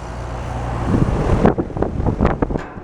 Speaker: Joe Shear made a video about the condenser fan motor making noise I call it it bumps bump bump drives you nuts